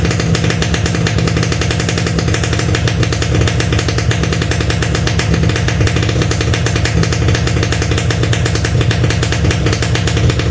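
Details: Standard Yamaha RX King two-stroke, cold engine just started: rough, uneven crackle running lumpy and unsettled, wanting choke; hard starting when cold on first start, considered normal cold character needing choke rather than a fault.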